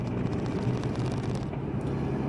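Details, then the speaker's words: VW 1.9 TDI under load at 2,800–3,000 rpm, 50 km/h in third or fourth gear, gives a low diesel drone with a lumpy pulse, running on three cylinders. Fault memory points to cylinder 1; a broken cable in the cylinder head is suspected. "auto läuft nur auf drei titel ja und da muss ich jetzt wieder den fehler auf die schliche kommen was es ist"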